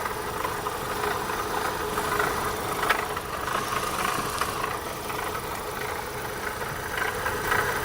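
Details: Opel Astra 1.6 16V (X16XEL) idling with an uneven metallic rattle coming and going over the steady hum; source of the rattle not pinned down.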